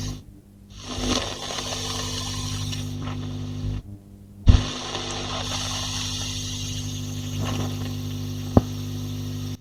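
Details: J20 valve amp, attenuator/power-scaling control brought into circuit with tone and volume up: steady hum and hiss, hum level swelling and dropping with rustling, crackles and pops as control turns; dirty control suspected, to be cleaned.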